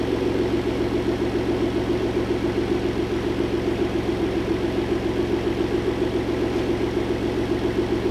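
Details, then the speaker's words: Engine replaced after rod knock, running with the hood on: a smooth, even idle with a steady low hum and no tapping or knocking; normal idle. "B cele I put the hood on running without knocking I'll take the celebration"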